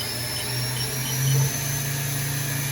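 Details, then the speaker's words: VF-3BYT mill spindle ramping through 4,000, 5,000 and 6,500 rpm toward 10,000 max: steady rising high whine over low hum, no grinding or wobble; healthy spindle. "Max RPM. 10,000. Spindle load's about where it should be."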